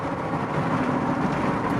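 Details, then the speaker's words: Inside the cab of a salvage-auction truck at highway speed, 230,000 miles, tires 4,000 miles old, wheel that wobbles at 70 and a rim that was hit hard: steady, even loud tire roar and drone, no knock or beat. "It's pretty loud inside the cab of this thing. These tires are screaming down the highway."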